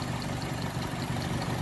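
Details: 2001 Mitsubishi Mirage 4G15 that sat for years: low uneven idle that lumps and stumbles, shaking and no power. Engine mounts bad. Fuel pump, regulator, plugs, wires, crank sensor, distributor and PCV replaced, hoses and EGR cleaned, nothing fixed it.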